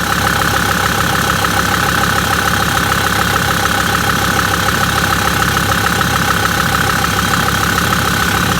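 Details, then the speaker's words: Million-mile Mercedes Sprinter diesel with P299 turbo underboost code, original turbo actuator, idling as normal everyday: steady even clatter under two beats a second, no knocks or misses; working fine. "let's go ahead and start it up with its normal type of everyday so it's working fine as you can see"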